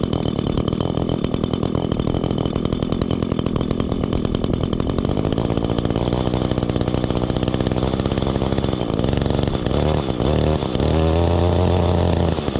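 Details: 2016 Echo GT-225 curved-shaft trimmer, 21.2cc two-stroke engine, started with choke and primer: fast, even buzz holding steady pitch without misfires or stumbles; running cleanly and healthy.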